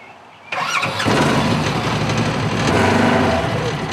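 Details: Donor Polaris RZR 1000 with the ECU put back in. The engine catches at once, revs briefly, then holds a steady, even run with no stumbles; starts and runs fine.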